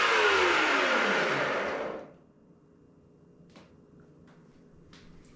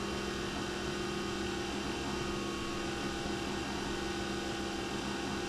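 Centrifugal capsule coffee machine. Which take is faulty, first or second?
first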